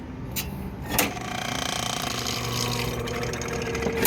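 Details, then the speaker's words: Old Comfort Star R22 split-system compressor, which tripped its breaker, confirmed to have refrigerant, at 212 V supply: sharp clunk, strained low hum for about three seconds, then another hard clunk as it locks up and stalls. "Because you can hear it lock up. It's like it runs for a second. Tries to run for a second and then locks up."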